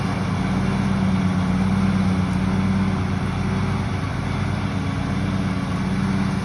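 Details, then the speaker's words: Used riding lawn mower after the old gas was run down and the tank refilled: steady low drone with constant pitch and no surging; running fine. "I think it was just the gas or it just needed to be warmed up because afterwards it was running fine"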